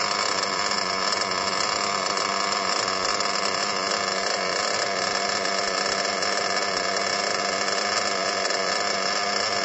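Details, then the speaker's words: Small RC nitro engine at idle after breaking it in by idling two tanks of fuel through it. The idle is now a lot higher and smoother, with a high, buzzy, constant pitch and no sagging or stumbling. Engine temperatures dropped a couple of times as it loosened up. "As you can hear in the video of it, at the end of the 2 tanks, the idle was a lot higher. The engine idle was a lot smoother."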